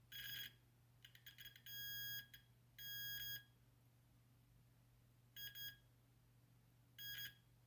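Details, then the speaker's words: Continuity test of the second gas valve board pin on a Carrier Weathermaker gas furnace: shrill beeps cut in and out in uneven bursts over a low hum and need pressure to conduct, from a cracked solder joint to be resoldered. "I can touch it right there right now and there's no continuity. I have to put a little bit of pressure on that for there to be continuity."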